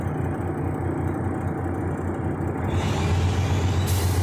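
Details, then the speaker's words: Freightliner Columbia diesel at raised rpm with deep rumble, then a sharp air blast as the dryer purges at governor cut-out. Healthy after the air dryer purge valve was cleaned; replacement valve still to be ordered. "it's building air pressure much faster now [Music] [Applause] should here purge any second"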